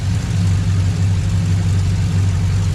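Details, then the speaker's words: LQ4 6.0 V8 in GMC after ported 317 heads and 224/228 .600 lift cam install, untuned, restarted warm under 210°F with no fans, lifters quieted: steady deep idle, even low rumble, no ticking; idling better than expected for the cam. "Definitely tell it's not quite tuned, but it's actually idling a lot better than I expected it to for this cam."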